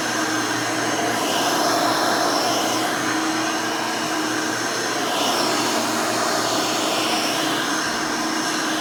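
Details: Hoover Elite 600 upright vacuum rebuilt with a new 7 amp motor and a retrofit 20-blade fan from 12 amp models: loud, even motor roar with steady airy rush, no rattles or speed wobble; runs smooth, fairly quiet, almost like the original 6 amp.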